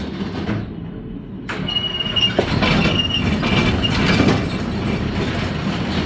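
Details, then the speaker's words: Bowling pinsetter ball lift on lane 30, cycled during a check for indexing linkage slop: busy mechanical clatter with rolling knocks and a light metallic squeak as balls are carried up; runs through without binding, normal. "So let's start with 30. Let's turn it on, and we'll cycle it. That one looked okay."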